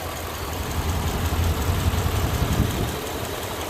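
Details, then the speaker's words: 2002 Dodge 1500B van idling after AMSOIL Power Foam engine cleaning, motor oil flush and PI fuel system cleaner: low, even, steady idle rumble with no ticking or misses; engine runs smooth, normal idle. "truly amazing results definitely amazing stuff"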